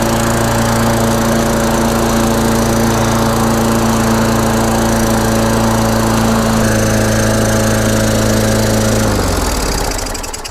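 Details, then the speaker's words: Free Craftsman push mower with a Tecumseh engine, fixed with a new air filter, filter housing and carburetor adapter collar. After a pull start it holds a smooth, even buzz for about nine seconds, then winds down cleanly at shutoff. "all right guys well there you have it seems to run good uh everything seems to be working fine"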